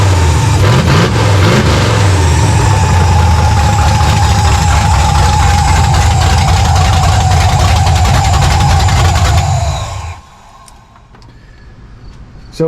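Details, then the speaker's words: 1970 Monte Carlo project V8 with a supercharger blower, run on open headers with no exhaust fitted and vacuum leaks noted: a very loud, rough-edged idle with steady blower whine and an even beat, then switched off. It runs. "you can see, it's uh very loud. still have to get the exhaust set up. Uh, but it runs, so that's awesome."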